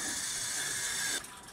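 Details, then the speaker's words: Hoshizaki nugget ice machine, powered off with no power at the water inlet valve: a steady hiss of water keeps filling the machine because the valve is stuck open. The hiss suddenly drops away when the water shutoff is closed. "alright guys I just powered the unit off and I'm still filling with water right here is our water inlet valve"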